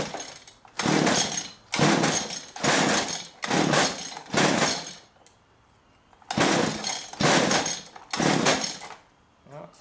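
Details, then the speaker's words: Stihl string trimmer, good compression but stale fuel; after gas poured into the spark-plug hole it fires in repeated one-second bursts then dies, starving between. The pump isn't pumping well and the fuel line looks damp and leaking; the pump is to be removed and cleaned. "Obviously we know it's a fuel problem. This thing isn't pumping very good."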